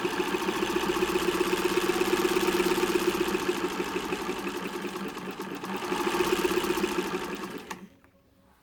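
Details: 1924 Singer model 128 sewing machine in bentwood case after cleaning and checking motor carbon brushes and grease: steady even whir with fast regular mechanism clatter until it stops, running smoothly.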